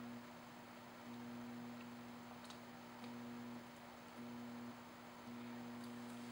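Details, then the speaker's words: JK Audio telephone audio interface: steady low 60 Hz mains hum and buzz that drops noticeably when the ground is bridged, then returns; hum from current flowing through a poor PCB ground layout. "there's a fairly significant amount of current flowing which results in a voltage differential between this ground and this ground and we can actually hear this if I go ahead and take this wire and short from here to here"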